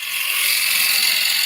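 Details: Woodturning lathe with the gouge cutting freely, not forced, giving a steady, even shaving hiss with no rhythmic chatter or bounce; smooth cut without chatter, versus bouncing when the gouge is pushed too hard.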